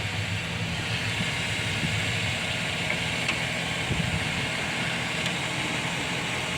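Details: 2007 GMC truck, just bought, idling: constant steady hiss-like whine from lower front of engine, louder with acceleration; owner suspects water pump or harmonic balancer (balancer seems to wobble), tensioner recently replaced.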